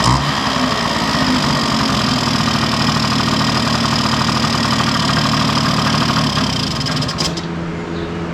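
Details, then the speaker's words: 1971 Yamaha Mini Enduro two-stroke, first start in decades after carburetor cleaning, muffler refitted with washer O-ring; steady even idle with crisp exhaust note for seven seconds, then kill switch shuts it off. Normal two-stroke idle. "Man, that is impressive. Wow. I can't believe how good that's running."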